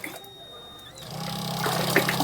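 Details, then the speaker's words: Homemade mini self-priming water pump driven by a 775 DC motor: the small motor spins up to a steady hum as water rushes through and settles to an even flow, lifting water like an original pump with no leakage; normal operation. "Video শুরুতে তোমরা দেখতে পেলে আমার যে পাম্পটি বানিয়েছে সেই পাম্পটির performance কত সুন্দর করলো, এবং যেমন অরিজিনাল যেমন পাম্পে জল তোলে ঠিক তেমনভাবে জল তুলছে, কোনো ওয়াটার লিকেজ নেই।"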